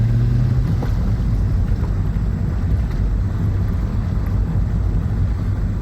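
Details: VW Golf VR6 test-driven after a drivetrain failure: it had lost all drive with clunking on a 4th-to-5th shift, and loose fasteners on one side were tightened. Steady, even road rumble with no clunks or knocks; noise gone, fixed.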